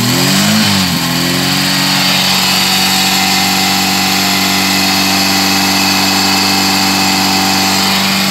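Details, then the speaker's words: VW G1 carburetted AP engine, after fixing low fuel pressure: a short rev drops back to a smooth, steady idle with no stumble or surge; fuel pressure much better than before. "Bueno ahora fuy a dar una vuelta una vuelta que calentó el motor pero igual bastante mejor Está la presión de combustible Comparado como estaba cuando V"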